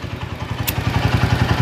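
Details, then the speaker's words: Tiger motorcycle, engine warm, revved hard; rough, heavy clatter around nine thumps a second building with revs, with vibration; worn piston or connecting rod suspected; rough engine clatter. "jadi dia itu kalau digas di naikin gitu di gaspol maka akan seperti piston paidul dan ketemua itu bisa jadi setangnya Lex"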